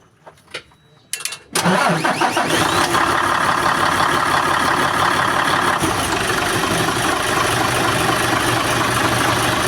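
A few quiet clicks, then the engine catches at once and settles into a steady, even diesel idle with no stumble.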